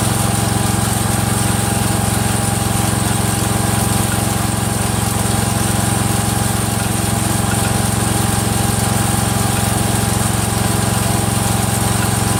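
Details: Freshly rebuilt Kohler single-cylinder engine in a Cub Cadet 102, steady idle with a regular light click about twice a second from the front pulley coming apart; the rod is not loose.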